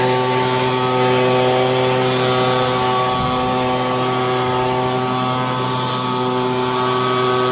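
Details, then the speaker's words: Old Craftsman 25cc gas leaf blower after new fuel lines, a torn-diaphragm fix and carburetor cleaning and adjustment: steady high two-stroke drone holding one even pitch with no surging or stumbling; normal running. "25 cc's old craftsman idles really well you can hear the kind of the sound of how the gas air fuel mixture should be simply that sound pretty good pretty satisfied"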